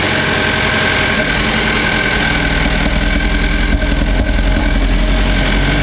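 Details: 2015 Cadillac ATS Luxury 2.5L GDI RWD, junkyard used engine just swapped in, idling while warming up: fires up and settles into an even, steady idle, no knocks or ticks; sounds healthy.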